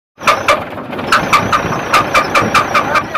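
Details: UD Nissan CD truck 6-cylinder diesel: sharp metallic taps in an uneven run of about one or two per second, and white smoke. It sounds like a knocking piston pin, and the engine must come down.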